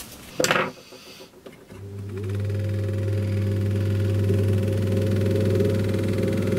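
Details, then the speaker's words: Berkeley & Young Ellipso orbital fan after gearbox rebuild and joint lubrication, first test without cage and blade fitted; click at switch-on then steady low hum and even whir, no rattle; oscillation won't switch off yet, normal running. "It's an oiler. Right. That seems alright."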